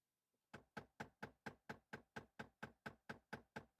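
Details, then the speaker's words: 2015 Jeep Wrangler JK HVAC blend door actuator behind the dash going bad; rapid, evenly spaced sharp clicking; three actuators (driver, passenger, center), repaired by replacement, may need recalibration. "these blend door actuators you can tell when they're going bad because they make this obnoxious clicking sound it's click click click click click"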